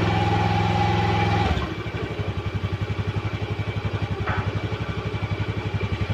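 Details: Honda Vario 125 scooter after a stuck kick starter was repaired: a brief kick-start burst, then a steady, even thump at about four beats a second with no knocks or rattles; healthy idle.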